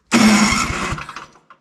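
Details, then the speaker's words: Electric-start MTD Snowflite 826 snowblower (8 hp, 26-inch cut), older machine: short harsh whirring crank with a few uneven thumps, starter sounds rough but still turns the engine over and works. "don't sound the best but it works right"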